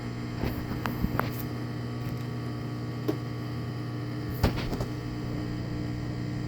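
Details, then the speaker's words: Washing machine drain pump after replacement (a safety pin had wedged in the old pump and rusted it, stopping the drain): a low, steady hum with a few light knocks, moving the water quickly; normal drain. "sounds like it's moving moving the water pretty quick"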